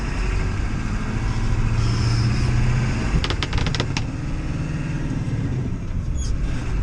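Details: Ford 7.3L diesel after repairing no-start and blowing fuse 30 caused by internally shorted fuel heater: even deep rumble at steady speed, light outdoor noise, no misses or knocks; normal diesel running.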